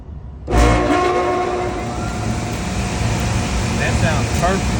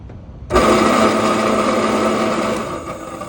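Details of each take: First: York package unit evaporator blower motor, newly replaced after a noise complaint, checked for correct rotation: kicks on and settles into a steady, even rush of air with a smooth hum, no scraping or rattle; blower runs healthy. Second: York package unit evaporator blower motor, run detached from its blower wheel: a steady, rough whirring drone with a grainy rattle; the motor itself makes the noise (worn bearings), so it is replaced, not repaired.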